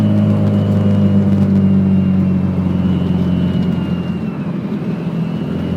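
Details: Nissan SR20 engine pulling under load: faint high whistle over the rumble, a whine that comes in with boost.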